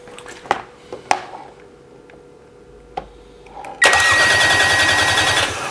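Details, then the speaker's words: Mercedes crank-no-start for a year, starter powered directly with relay removed: a couple of clicks then strong, even rhythmic cranking; starter motor itself healthy. "now as you can hear there's nothing wrong with the starter motor itself"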